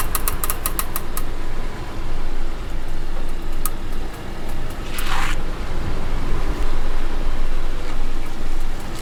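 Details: Wheel clicking noise on a car: sharp, quick ticks over road rumble that follow wheel speed; cured by cleaning the hub and disc mating faces with brake cleaner and refitting the wheel, nuts torqued in a star pattern.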